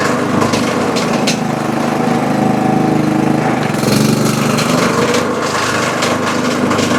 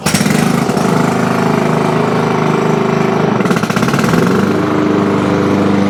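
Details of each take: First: Toro Super Recycler mower with blade brake clutch, loud rough clattering knock when blade engaged (handle squeezed), almost like the blade hitting something; traced to worn blade brake clutch bearings and loose blade assembly, belt, bearings and pulley replaced. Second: Engine runs steady with the blade engaged and no squeal or grinding on a Toro Super Recycler mower, after diagnosing loud noises with the blade engaged and replacing the belt, bearings and pulley; healthy blade drive.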